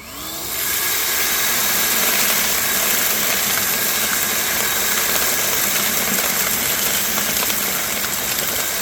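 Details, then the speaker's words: New cordless Ryobi 6-gallon wet/dry shop vac picking up a thick pile of gravel through the wand: motor spins to a steady high whoosh, gravel rattling through the hose, no bogging; normal strong suction. "okay that was a pretty thick pile of gravel that was pretty quick I'm impressed"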